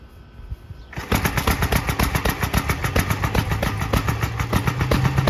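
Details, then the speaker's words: 1943 Gravely Model L single-cylinder starting after rebuilt Wico magneto fitted, running on a carburetor borrowed from a 1955 L with that machine's settings, unadjusted; quiet start then uneven thumping with sharp pops. Rough running from incorrect carburetor setting. "although not terribly well then again the carburetor settings are for my 55 L not for this machine"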